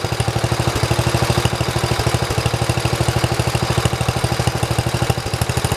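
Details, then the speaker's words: 1973 112 tractor, recently fitted with new points, coil, condenser and carburetor: fast thumping idle with occasional skipped beats, a misfire starting when the clutch is pushed; a loose wire touching ground had been sparking, but the miss's cause is unconfirmed. "So as you can hear, when I pushed on the clutch, it started doing that, the miss."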